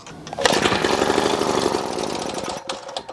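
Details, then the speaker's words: 1936 Johnson Seahorse Model 200 outboard, about 87 years old, after cleaning the gas tank and on its own fuel at full choke: catches and buzzes unevenly for two seconds then dies; fuel mixture later found off. "Hey, she ran a little bit longer. She's just not staying running."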